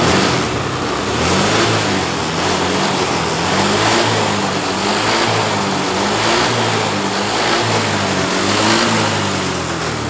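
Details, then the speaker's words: Honda Vario 125 that died when throttled, after fuel pump fix raised pressure from 20 to 42 PSI: engine revs rise and fall cleanly with throttle blips, no bogging or cutting out; revs freely and healthily. "jadi sudah tidak ada brebet tekanan sudah berada di 42 PSI"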